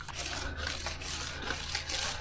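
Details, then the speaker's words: 2016 Land Rover Discovery 4 paint after a car wash, being clayed with a clay bar and lubricant. Dry, raspy, sandpaper-like scraping as embedded contamination is pulled from the paint; the sound goes away after one pass and the surface turns smooth. "you hear it taken all the embedded imperfections out of the paint and it sounds like you're using sand p paper but as soon as you move the clay bar over it once this effect is gone"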